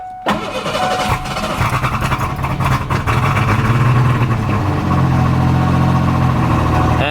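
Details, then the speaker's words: 1988 Ford Ranger after MAP sensor change and carbon-clogged idle air control valve cleaning, foot off throttle: cranks, catches, settles into a low uneven idle with light rattle and possible backfire; improved but still rough, tends to stall. "my foot is off the gas ooh still rattling a little bit is that backfire what well that's better still not where I want it to be"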